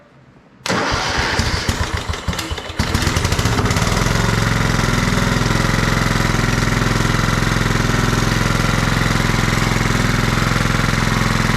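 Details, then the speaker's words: Kohler Command 16.5 hp on a Craftsman riding mower, sat outside about a year, started with a jumper pack after light cleaning: brief crank, then a steady even idle with no hunting, running well even at low rpm. "Well, it runs pretty good. Even ran at low RPM."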